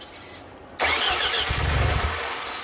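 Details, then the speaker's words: Ford-powered JLG boom lift sat two years after tree damage; starter whirs with low churning beat, never fires, electronic throttle plate stuck closed though computer commands it; crank no start. "that throttle is stuck, but the computer is trying to control it, which is interesting."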